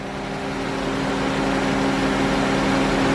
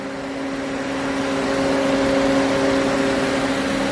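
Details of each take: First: 2009 GM truck with 5.3 LS V8 on genuine first startup after a broken camshaft locator pin repair: steady, even idle with smooth low hum and faint whirr on top, no knock or tick; runs good, sounds healthy. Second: 2009 GM truck with 5.3 LS V8 just after first startup following a camshaft locator pin repair, engine cold: steady even whir with constant tones over a quiet idle, slight clatter; cooling fans running when they shouldn't, cause not yet found.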